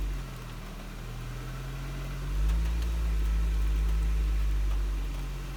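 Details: Honda Civic EP3 (Canadian) on a cold engine: low, uneven idle drone surging and sagging; rough idle, alongside intermittent instrument cluster light cycling and EPS failure, that persists until warm; codes not checked, cause unknown.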